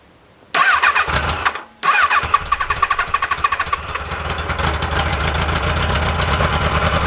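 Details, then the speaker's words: XGR on its first ride, cold start on choke, ignition checked OK with the owner still testing injection richness. It cranks, catches, then runs a lumpy, uneven beat like a missing cylinder. Misfire cause unconfirmed. "bon il y a pas moi je sais pourquoi ça fait c'est vraiment chelou ce bruit he arrêtons le massacre"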